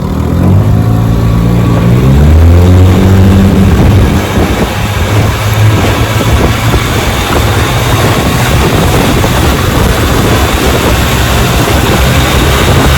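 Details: Restored 1957 Johnson 10 hp QD18 outboard with rebuilt carburetor and magneto, lake test on a boat: revs climb smoothly into a strong, even, raspy two-stroke roar at full throttle, no misfires or rattles; runs healthy.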